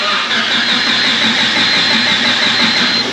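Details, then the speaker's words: Honda after welding, smoke seen from the ECU area: loud continuous starter churning, fuel pump heard, no firing or catch; crank no start, ECU likely fried. "ECU might be done for"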